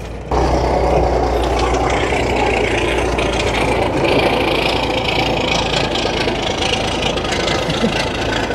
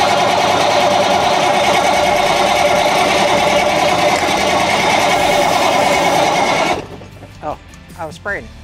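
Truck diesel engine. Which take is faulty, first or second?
second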